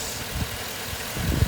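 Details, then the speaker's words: 2007 Chevrolet Suburban, about 213,000 miles, warm idle with AC off after Motor Medic motor flush, oil change and Lucas heavy duty oil stabilizer: even low rumble, previously loud lifter tick now gone; lifters not collapsed, suspected clogged. "that sounds pretty good it sounds a lot better wow i'm actually pretty impressed the lifter tick is completely gone i'd say this is success"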